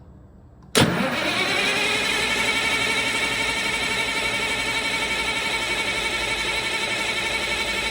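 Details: CAT C15 diesel cranking with a fuel line opened to check supply: even starter churn about four times a second, never catches; cranks, no start, suspected fuel supply issue with too little fuel flowing.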